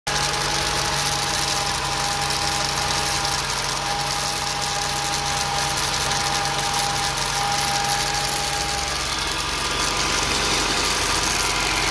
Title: Rattling Noise 1